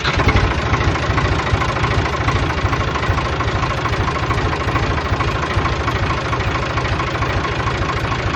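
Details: 1988 Ford 4610 tractor, Ford 201 cu in diesel (about 65 hp), just after an oil and filter change with a new tachometer drive: steady, even diesel clatter at idle, about two beats per second, no misses or knocks; normal idle.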